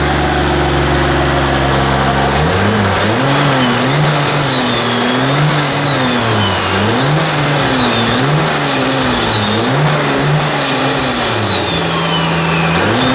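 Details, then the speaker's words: 2JZ-swapped Nissan 240SX turbo engine after reassembly: a smooth idle, then clean rev blips rising and falling evenly, with a whooshing chirp after each lift. Running properly, normal idle and revs. "So I'm glad that this thing is actually running properly and how it should."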